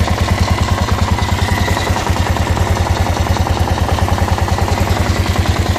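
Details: Kawasaki KLR650 with odd noises since the winter layup: steady low thudding knock at about 200 a minute over the idle with a grinding edge; rhythmic knocking/grinding, cause unknown.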